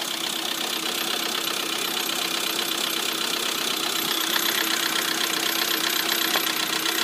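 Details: Lada Priora at idle: fast, sharp, even light ticking about four per second from the hydraulic lifters; after repair, two hydraulic lifters were found to have failed.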